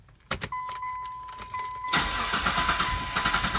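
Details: Mitsubishi Montero Sport after fuel pump replacement and relay wiring fix, previously no start: key chime and clicks, brief crank, engine catches at once and settles to steady idle; normal start.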